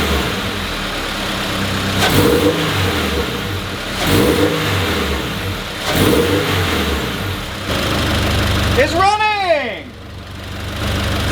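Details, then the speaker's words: Turbo Subaru BRZ just started on the stock tune, temporary setup, idling with the radiator leaking coolant. Uneven, lumpy idle with short throttle blips rising and falling unevenly. It runs very rough, which is attributed to the stock tune. "it sounds it sounds very rough right now because like i said the stock tune is on it i just wanted to get it started hear it see what it sounded like"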